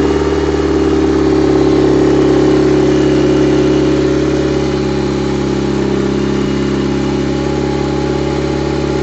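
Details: Mitsubishi 4G67 four-cylinder's first start after a lengthy rebuild, work not yet complete: steady, even engine note with a little throttle swell, no knocks or misses; sounds healthy, normal running.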